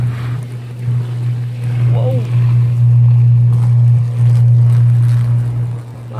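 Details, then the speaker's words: Downed power line hanging loose with a loud, steady low electrical buzz that swells on approach; power line arcing, electrical fire. "Wow. You can hear it arcing. Let's not get electrocuted, eh? Oh, look at that power line hanging down."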